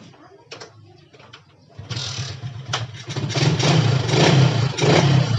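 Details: Yamaha Jupiter MX that would not start or died shortly after starting, after checking fuel for water and carburetor service: starts after a few quiet clicks, settles into steady beat and revs up and down cleanly with no misses.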